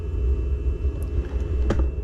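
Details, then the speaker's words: Chinese diesel air heater (PT-5 series) during cool-down after glow plug turns on and fan slows: low uneven rumbling roar of residual oil burning off in chamber; owner suspects a slight gasoline mix flashes off first, consuming oxygen so oil builds up. "Burns consumes the oxygen and actually doesn't allow the oil to burn which then builds up and there now you can hear the oil burning now that the fan has slowed down and the glow plug turned on"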